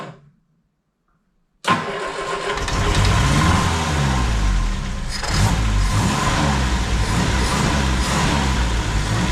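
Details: 1971 Triumph Spitfire MK III four-cylinder starting after 14 years: short crank, then catches and settles into a steady even idle, slight rattle noted; normal start and idle.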